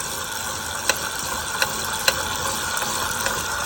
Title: Wahoo Kickr Making Clicking Noise